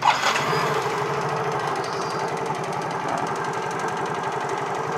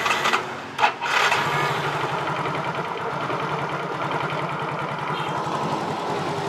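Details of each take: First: Motorcycle that had died, after its faulty IC was corrected: small single ticks over at a steady even beat after a quick start, no stumbling or dropping out. Normal idle. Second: Motorcycle fitted with an imitation (fake) IC part: catches and runs with a fast thin wavering beat that never settles. Rough running from fuel starvation.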